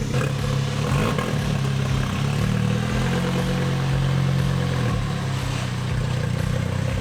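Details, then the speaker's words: Straight-piped 2007 VW Jetta MK5 2.5L with 200,000 miles: rust broke the exhaust so it dumps right after the downpipe and catalytic converter. Loud, deep, raspy drone with uneven popping under throttle. Exhaust leak at the broken downpipe joint. "And that is what a straight-piped 2007 Jetta sounds like."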